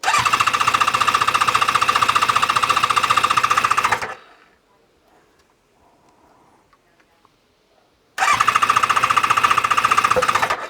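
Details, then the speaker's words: ZZR600 four-cylinder during restoration, after exhaust work, on a hot ~30°C day, with a little then more choke: two bursts of steady cranking, about four beats a second, with no firing yet. Empty carbs are filling; fuel level is dropping and there are no carb leaks. "So I can see the fuel level dropping. So it is going in. Just make sure I got no carburetor leaks, which we don't have."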